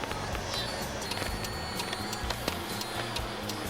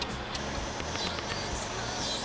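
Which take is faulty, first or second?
first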